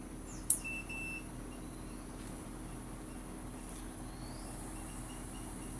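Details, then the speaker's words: Singer SS12 YMDN 12000 BTU inverter AC outdoor unit, cool mode set 17 °C, after E1 error traced to faulty signal wire: quiet steady low hum, no knocks or rattles, birds behind; compressor running, drawing 3.7 A. "Ampere 3.7ක් ගන්නවා. ඒ කියන්නේ compressor එක වැඩ. අවුට්ඩෝර් එකත් වැඩ කරනවා."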